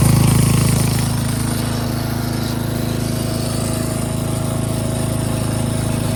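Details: Craftsman 13.5HP 30-inch rear-engine riding mower, cutting grass: steady, rapid single-cylinder chug at about four beats a second, even and strong with no misses. Runs fine under load.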